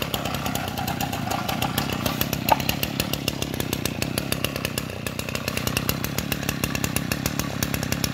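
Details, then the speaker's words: Kawasaki TA33 33cc two-stroke brushcutter engine with 37mm piston, just started: crisp, evenly spaced firing pulses at a steady idle with no misses or knocks; running clean and very smooth, normal. "Mấy bác nghe tiếng nổ nó chưa, nó nổ còn từng tiếng luôn, rất là vip. Máy êm ru nha, à, máy rất là êm, cực êm luôn, nổ còn từng tiếng một l"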